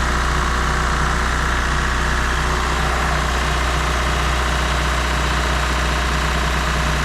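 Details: Mazda MX3 automatic idling steadily with a smooth low drone and no knocks or slaps after a torque converter replacement; the whine had actually come from the belts, the motor mounts no longer slap, it shifts through all gears, and the squealing is gone.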